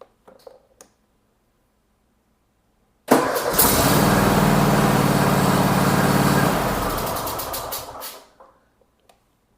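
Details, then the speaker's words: Cub Cadet XT2 mower after starter replacement: brisk, even cranking that catches within a second into a steady run, then winds down; old starter caused weak starts when hot, new one fixed it. "Way faster, way smoother. Incredible difference. That was 100% the problem."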